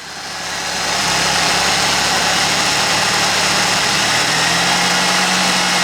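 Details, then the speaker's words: Ford 2.3L (SVO-type, TFI distributor), timing deliberately set too low, distributor rotated while running: rough lazy idle whose hum climbs and smooths as timing advances; retarded ignition timing. "I purposely have the ignition timing set too low, so I'm going to rotate the distributor while it's running. You'll hear the engine speed pick up, so it's getting happier as it's going, and that does the same thing as putting the spout connector back in."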